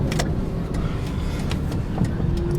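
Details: Mazda Tribute/Ford Escape after front wheel bearing replacement; before the repair it growled loudly with rotor scraping. Now smooth tyre and road rumble at steady speed with no growl or drone from the front. Rear bearing noise and rack end movement are still suspected.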